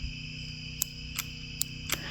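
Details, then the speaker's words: Early-to-mid 1980s Ford 302 small-block V8 taken from a derby car, at idle: sharp irregular snaps of ignition arcing persist after dielectric grease was applied; owner suspects a cracked coil insulator and plans to replace the coil. "yeah it's still arcing through there I think that coil might have a crack in the insulator up top"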